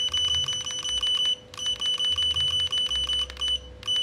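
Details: Godox V850 speedlite after board repair of no-power fault, test-fired at 1/4 then full power: high steady charging whine with fast clicking, brief break each fire, prompt recharge. Normal flash charging and firing.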